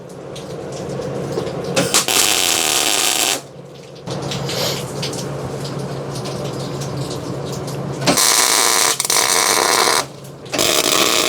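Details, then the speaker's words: MIG tack welding frame boxing plates at the rear airbag area with the shielding gas forgotten. Short harsh bursts of crackling, spitting arc with uneven pops instead of a smooth sizzle; it welds much better once the gas is turned on. "Good thing those are just tack welds. The typical YouTube fabricator / automotive guy mistake, not turning your gas on."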